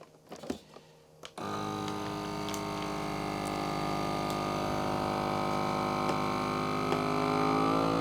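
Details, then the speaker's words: Vacuum sealer bagging cheese; steady pump hum climbing to a high-pitched whine as the last air is drawn out, then sealing kicks in. Normal vacuum sealer operation. "you hear that high-pitched whining or that high-pitched sound it means it's getting that last bit and then this kicks in and seals it"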